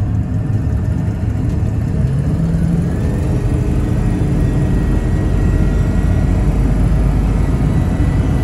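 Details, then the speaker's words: Stock 7.3 Powerstroke diesel truck with factory exhaust and TS Performance chip on 75 hp tune, stock air filter, pulling under full load at about 10 psi boost: deep steady roar with only a faint soft turbo hum; normal and quiet. "See, it was nice and quiet. You'd hear the turbo hum in just a little bit, but it wasn't bad."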